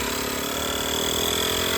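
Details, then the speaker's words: Gooloo A5 jump starter's tire inflator pumping a truck tire from 30 toward 36 psi: steady even buzzing drone with constant high whine as it builds pressure. Normal operation. "And hear how it ramps up to get that pressure going. Man, that baby is a workhorse, guys."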